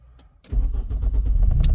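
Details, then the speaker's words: 1992 VW Mk3 Golf with a crank/no-start issue, restarted after a new ignition starter switch was fitted: brief silence, then the engine fires straight up and settles into a steady, even low rumble; clean, healthy start. "runs and starts as well so that's even better at least we know it's working before we start building everything back up"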